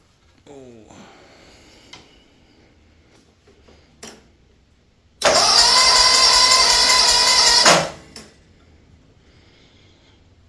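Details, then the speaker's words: Kawasaki FH680D engine in a Massey 1655 tractor, compression tester fitted, cranking on one cylinder then the other: the starter spins fast and even with little compression resistance; both readings are poor, low compression. "well that's not good all right let's uh let's take it off put it on the other side that's not very good either"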